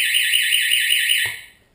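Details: Homemade shark alarm tested with its switch mounted down: a loud, high-pitched warbling buzz pulsing about five times a second, then cutting off cleanly; it works as it should.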